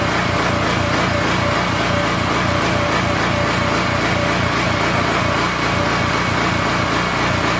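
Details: King Canada 3000W generator engine, bought after a loud pop killed its power output, first fire-up with no air filter fitted: fast buzz with speed rising and falling about twice a second, a hunting idle.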